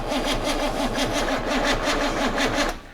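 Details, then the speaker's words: GMC 6.2 V8 diesel unstarted about 15–20 years, cranking after glow-plug heat with two batteries and extra grounds; sluggish labored cranking about four compressions a second, no smoke, never fires; not enough cranking amps suspected. "I don't think we're quite getting enough of the cranking amps are we"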